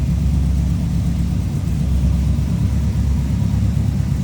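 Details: 1970 Oldsmobile Cutlass W31 tribute, Rocket 350 V8, aluminum radiator, turbo hydromatic automatic: deep, even V8 rumble at a steady idle, no knocks, misses or surging; sounds healthy.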